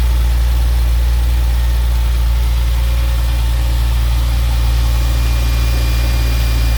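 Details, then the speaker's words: 1997 Porsche 911 Carrera flat-six started indoors during a used-car inspection; after clearing an alarm it fires right up and settles into an even, deep, steady idle with no knocks, ticks or hunting; oil analysis good, no leaks found; normal idle. "there was an alarm on so i had to do that but it does run runs well"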